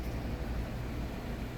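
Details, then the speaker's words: 1996 Honda Civic EX 1.6L petrol with replaced engine, warm, idling low and steady around 700–720 rpm after sensor adjusted from 0.59 to 0.49 V, down from 1400 rpm; even rumble, no surging. "look at that we went from 1400 RPM I should have taken a video of it when it first started 1400 RPM and now we're down at 700 RPM"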